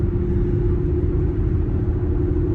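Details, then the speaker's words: Cabin sound at 57 mph on Cooper Endurance Plus tires, loud ever since a rotation and a minimal alignment; the rear tires are worn almost to the wear bars. Steady, deep droning roar; the owner suspects the tires, possibly wheel bearings: tire roar. "And uh but ever since then these tires have just been loud or or the vehicle has been loud."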